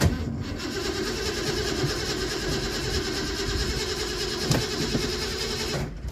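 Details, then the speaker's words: Ford Mustang with the original Dura Spark ignition box fitted: the starter churns for about six seconds and the engine never catches, with no spark; a newer Dura Spark box then made it start. Crank no start from failed ignition box. "It is trying, but I'm assuming we have no spark again."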